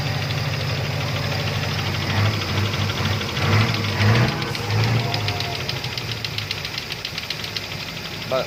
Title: Toyota avanza 3SZ engine knocking sound, Panoorin kung ano ang dahilan ng ingay.